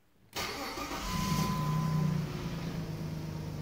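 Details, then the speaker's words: Jeep WK/XK 3.7L V6 that stalled when hot, after crankshaft position sensor replacement: a brief crank, then it catches promptly and settles into an even idle with a faint steady whine, starting and running normally. "all right done deal guys done deal new crankshaft works everything's running fine now rocky"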